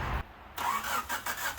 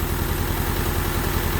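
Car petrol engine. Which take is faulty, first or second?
first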